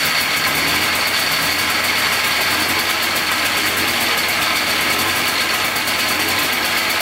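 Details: $250 Polaris Trail Boss 250 4x4 ATV, new starter, carburetor cleaned: buzzy uneven two-stroke idle with harsh rattly top end; teardown found piston skirt completely broken off, metal chunks and shavings, bottom end likely contaminated.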